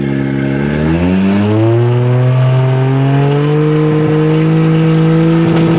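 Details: 1JZ swap in FC3S chassis that won't boost; revs climb, then stumble with rough popping breaks near the top and never pull harder; breakup fixed by grounding the neutral safety switch.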